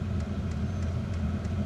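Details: Diesel heater installed in a house, intake and exhaust through a window, warming up after flooding earlier and smoking: steady low rumble with soft, regular pump tick about three times a second, even and unchanging; running normally.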